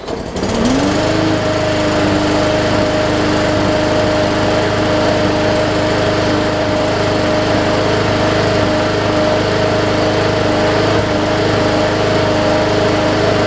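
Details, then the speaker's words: Second Hyper Tough Briggs & Stratton OHV push mower, plastic carb, still on the old winter fuel: starts right up, rising to a steady even drone at constant speed with no hunting or misfire; normal running. "started right up i can't tell you how many times i have seen that issue and i just wanted to share it with y'all"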